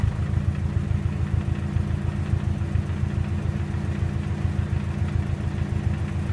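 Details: 2007 Subaru WRX at idle: low buzzing rattle pulsing with engine shake, caused by the intercooler Y-pipe contacting something else in the engine bay under idle vibration.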